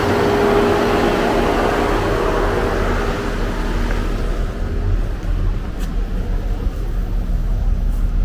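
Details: 2013 Chevy Equinox Copart rebuild, engine cranked after work: even, steady low idle rumble with no knocks, ticks or stumbles; engine sounds good.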